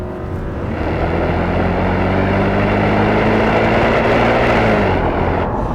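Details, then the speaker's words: D2 Audi S8 with a 360hp 4.2 naturally aspirated V8, revved stationary, no soft limiter: strong, even V8 roar climbing in pitch with hard, crisp intake bark, no misses or knocks; healthy engine. "that induction noise, that hard-edged, naturally aspirated induction noise is just, oh. Back in the day, Audi didn't mess about with soft limiters and you could just rev their cars out when they're stationary. And this car sounds particularly good when you rev it."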